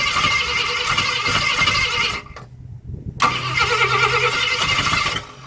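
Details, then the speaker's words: 1965 Ford Thunderbird during rebuild, start attempts using fluid from a can: starter churns, stops, churns again with only a weak catch ("it fired") and no steady running; cranks but won't start. "Isn't there a little bit left in that can? Yeah. It fired. Did you hear that? I heard something."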